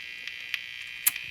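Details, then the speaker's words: Hallicrafters tube clock radio with no antenna connected: steady high-pitched buzz with a few faint ticks and no station coming through; speaker also shot. "well i'm not going to pick up thing without an antenna so let me see if that makes an improvement"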